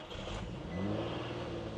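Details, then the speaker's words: Nissan 350Z with stock VQ engine, jump-started cold after dead battery: catches immediately and settles to a steady, even idle with no stumble; clean cold start. "She starts right up. She's running like a charm."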